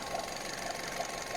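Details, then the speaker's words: Skoda Octavia with CVA engine, after securing the absorber valve hose that caused an electronic-like whistle: smooth steady idle with even hum, no whistle or squeal; normal after repair. "Посторонних шумов никаких нет."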